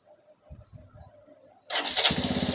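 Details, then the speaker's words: BS6 TVS Star City Plus with starting problem, after refitting the cleaned RI unit and coupler, key on-off reset; starter spins and the single fires straight into steady idle; clean start, check engine light still on. "हम क्या करेंगे, चाबी on off करो और करो start. Spark plug लगा, करो start,"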